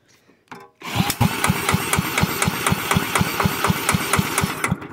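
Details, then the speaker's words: Villiers Mark 10 side-valve engine, not run properly in 30 to 40 years, with choke open: regular pops at about four a second for several seconds, heard at the exhaust, never catching into a steady run, then dying away; it fires but won't start. "ah hear it coming out the exhaust one oh she was close let's see how she goes with the choke being open ah so close so close"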